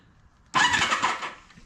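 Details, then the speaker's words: 1972 Honda CB500 Four project bike, no oil in engine: silence, then short sharp starter whirr under a second bumping the engine briefly; starter works. "All right, so the starter works."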